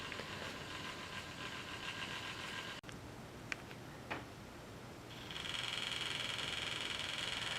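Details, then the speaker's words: Heathkit Hero 1 robot built around 1983–84, homing command 31: faint motor buzzes and clicks, then steady high whine as steering, arm and head motors move to home position; normal operation. "Okay, I'm going to type 31 to home it. There it's starting, it's homing. You can hear some of the motor starting to move."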